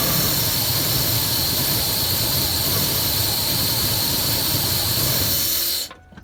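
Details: 2001 Ford F-150 5.4 2v Triton gasoline engine: a loud, airy sucking whoosh over an uneven, lumpy idle, sounding stifled as if not getting enough air, then the engine abruptly dies.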